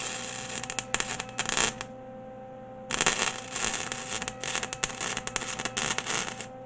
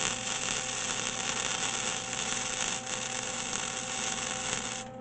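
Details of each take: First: MIG welder spitting: irregular bursts of harsh crackle and popping instead of a smooth fry. Turned down to 2, it lays a smooth bead. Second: MIG welder with wire speed set at 2 after spitting at 2.5–3: steady even crackle like frying bacon, no popping or sputter; bead laying smoothly, setting suits this metal.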